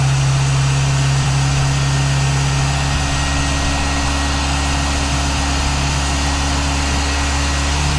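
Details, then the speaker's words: Geo Tracker 8-valve, idling on jack stands after a stainless header replaced the leaking exhaust manifold gasket: steady, even idle with a deep exhaust tone, no ticking or puffing. No leaks; the exhaust note sounds different from the rear. "I don't hear any leaks. I don't feel any leaks. I think we're in good shape here. Go around to the back. You kind of hear the exhaust note. It does sound different"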